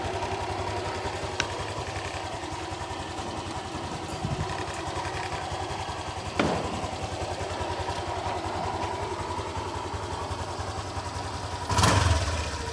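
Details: Honda Click 125 V3 scooter just after replacing a very dirty fuel filter: steady idle then clean revs near the end without stumbling or stalling, no leak; running normally.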